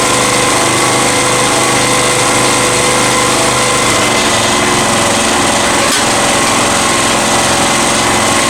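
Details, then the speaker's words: Honda EX1000 generator (1000 W max, best kept under 900 W) after carb cleaning, pushed hard with a heater load, set at high idle: busy, high-pitched, steady fast buzz with a rough edge; owner says it's idling badly because of the load. High, uneven running under heavy load. "So I'm really pushing it in this, and that's why it's idling really bad. But it is doing it, and it was doing it really good too."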